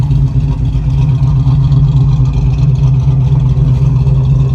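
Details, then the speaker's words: Chevrolet K10 truck V8 running outdoors, revved: deep, even rumble with a steady lope, no knocks or rattles; healthy engine. "Hear that little rumble to it. She got a little sneaky in there."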